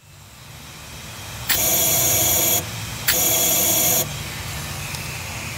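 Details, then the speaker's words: Cummins ISL/ISC diesel EGR differential pressure sensor ports, sensor removed and blown through with a blowgun into the intake manifold. Two strong, clean bursts of air hiss pass straight through, so the ports are clear. "in this example the ports are clear and you can hear the air blowing through into the intake manifold"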